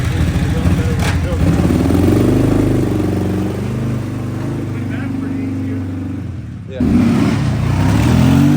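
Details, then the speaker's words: Kawasaki KFX700 ATV engine, after head, carb, timing and valve-adjustment work, blips and settles into a steady, even low beat of about four pulses/s with no misfire; it now runs and idles on both cylinders. "happy to report after some head work carb work timing work valve adjustment work couple other little works this thing's running and on both cylinders"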